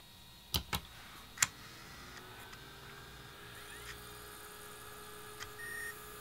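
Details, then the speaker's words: Nintendo GameCube with disc-read fault after lowering laser potentiometer from about 341 to 278: a few clicks, then quiet smooth rising whir with no grinding, disc spinning up and reading right away. "you can hear it just spinning up around normally so it should grab right away it sounds like it's grabbing right away"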